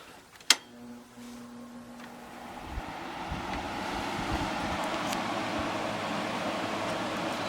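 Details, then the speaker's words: 2000 Glacier Breeze (Hampton Bay/Fedders) HBQ050 window AC, first start fully reassembled after condenser replacement and recharge, room about 73 degrees: sharp click, then steady compressor hum and fan rising to an even whoosh, cooling right away; normal startup. "So we're going to start it up for the first time, fully assembled, and see what it does."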